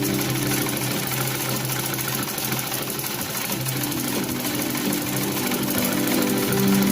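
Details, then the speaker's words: Sewing machine running without fabric: fast steady clatter about four beats a second with a harsh, rough edge over the motor hum; owner suspects the gears running unevenly, gears then removed and oiled. "Nah, saya curiga di area gigi sini suaranya yang sepertinya keras. Jadinya gigi jalannya tidak lancar, jadi suaranya kurang halus."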